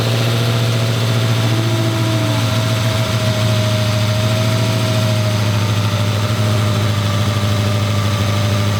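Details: 1200hp Hemi with new Kooks stainless exhaust, Holley fuel system and driveshaft, first ever start: deep steady idle with constant low rumble and faint blower whine, even and smooth; normal idle.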